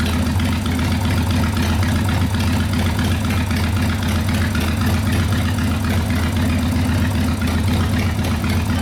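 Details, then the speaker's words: 1990 Harley FXRP custom, 80ci Evo V-twin with mild cam, ~5500 miles, sat 8+ years, accelerator pump not working, carb flooding: steady loping idle, no misses or knocks; normal idle. "that sounds good i don't think there's a real big cam in it but it's got a cam in it yeah it runs good"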